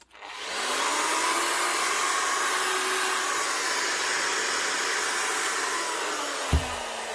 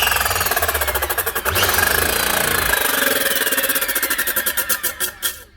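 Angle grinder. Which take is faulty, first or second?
second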